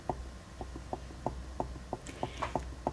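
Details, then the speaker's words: Ashford E-Spinner 3 spinning wheel "whomp" noise: sharp regular knocks about three a second over low motor hum as fiber tension slings the bobbin back and forth on its shaft; not brake or clips; fix suggested felt washer. "it's not the clips clipping the bottom it's not the tension it's the bobbin"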